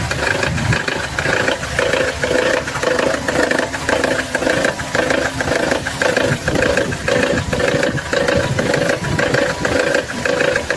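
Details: Gasoline car engine running: wet, uneven gurgling pulse about twice a second, seeming to come from below rather than the head; suspected air-fuel mixture or electrical problem, not confirmed.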